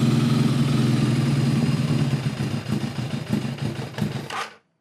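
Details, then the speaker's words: Kawasaki ZRX-1200 with Keihin CVK carbs cleaned of packed ethanol fuel deposits: uneven, stumbling, lumpy idle with misses before it dies; lean running blamed on a carburettor jetting issue. "All right, folks, so this is definitely a jetting issue."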